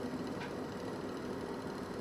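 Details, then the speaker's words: Vents extractor fan with repaired burnt timer control board, switched on with the light: steady even whir with faint hum, no rattle or surging; extracting properly, connected correctly. "Так, зараз він витягує. Значить, підключено все так, як і має бути."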